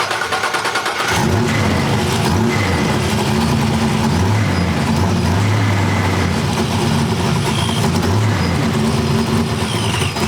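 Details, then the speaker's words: Supercharged small-block V8 (TorqStorm blower, Holley parts) restarted for setting ignition timing after first start, wrapped headers: loud, even rumble with steady firing and clean revs; runs well. "That thing is pretty loud. Sounds good though."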